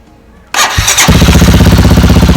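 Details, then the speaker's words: Motorcycle with a bad battery, third start on a small jump starter: short crank then fires right up into a steady even thumping idle; normal engine start. "Crank it in a positive negative line. Just keep it hanging. And let's see if this works the third time."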